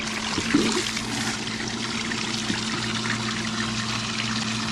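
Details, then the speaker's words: Half-horsepower pump running off a brand-new 12 V 100 Ah battery through a 750 W inverter, float-switched; steady low electric hum under rushing water, draining a 30–35 gallon bucket in about 10–15 seconds; works well, normal running. "it runs off of that 750 watt inverter very powerful this is a half a horsepower pump totally drained this little bucket which is like 30 35 gallons in less than however long we just talked 10-15 seconds so that works good"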